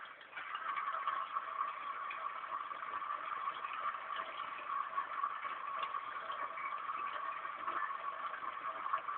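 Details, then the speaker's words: Small pet water fountain pump, newly installed: a constant mid-pitched whir with a light watery hiss and no surging or rattling; normal pump operation. "et à gauche donc cette tribune que vous entendez c'est la pompe à eau"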